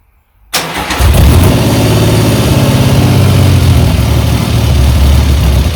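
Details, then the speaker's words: Rebuilt 1975 Triumph Trident T160 triple, first start, no exhaust smoke: runs with choke but uneven beat sags and falters at tick-over once choke is off; idle speed set too low, needs turning up via throttle rod. "all right needs more uh tick over as soon as i take the soon as i take the choke off then it's uh faltering i need to turn the tick over up a bit"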